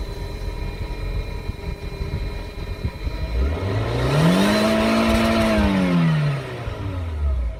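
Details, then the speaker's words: 2001 Mk4 VW Golf, 1.8T AWP turbo engine, stock exhaust before removal, hood open: steady idle then one smooth rev with light turbo spool whistle rising and falling; normal idle and rev. "You hear that little turbo spool? One more time, bro."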